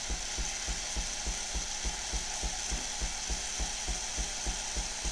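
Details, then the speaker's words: Philips 5400 LatteGo thumps while pressurizing its lines, then gives a steady hiss with soft, even pump pulses as it dispenses hot frothed milk. Normal milk frothing. "And now it's dispensing the milk, the frothed milk. We've got a nice hot milk coming out of it, so it'll be nice and warm."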